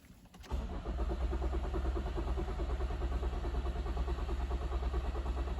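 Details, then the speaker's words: Toyota Auris crank no start with stored codes including PCM power relay control circuit open and startability malfunction: starter spins the engine at about three beats a second but it never tries to fire. "okay so it is a crank no start anyway not really attempting to fire at all"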